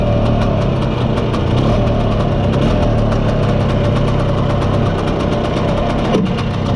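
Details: Spanish Jet 200 Lambretta (mostly original, Serveta) two-stroke on test drive after carb retuning, slide cutaway changed from 1.2 to 2.2 to clear mid-range flat spot; steady even burble, no misfires or surging, runs silky smooth.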